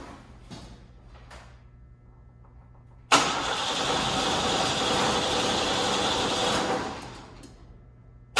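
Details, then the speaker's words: 1955 Ford F100 on a 4x4 frame: steady cranking for about four seconds with no firing; owner is 99% sure the fuel pump is bad, doesn't think a pump sound was heard, not yet confirmed. "Let's check our fuel pump and then we're calling her quits. All right, let's see. Expectations are very low. 99% sure we need a fuel pump."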